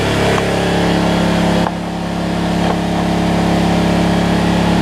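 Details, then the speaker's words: Generac 7500EXL generator with the low oil switch unplugged: steady, even drone with a slightly high, strained pitch, no hunting or misfire, reading about 130 instead of 120; engine running above its governed speed, throttle later backed off. "so yeah 1 30 she's running a little fast 120."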